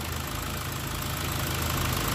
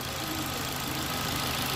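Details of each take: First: 2015 Ford Ka 1.5 Sigma, low power and hard morning starts after a timing belt job; steady idle with a dull, slightly uneven low pulse and heavy hiss; oscilloscope tooth count shows cam timing out of sync; ignition advance near zero. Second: 2015 Ford Ka 1.5 Sigma, previously hard to start in the morning and low on power after a timing belt job; after cam timing checked, steady even idle, smooth low hum, no knocks or misses; now starting well in the morning.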